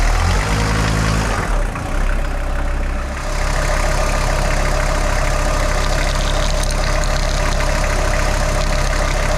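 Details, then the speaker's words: VW T4 AAB diesel van, 4,600 km after major overhaul, at idle: steady idle with faint constant chirpy tone from the accessory belt; owner suspects a worn tensioner/idler pulley with lost grease and slack, exact pulley unconfirmed. "I have issue with this belt because it's make a little bit noise when it's running in idle."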